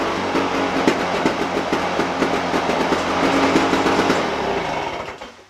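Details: Lawn Boy push mower with intermittent no-spark, after cleaning coil and mounting bracket and taping plug wire: fast, even firing beat without misses, then shut off and winds down; runs normally.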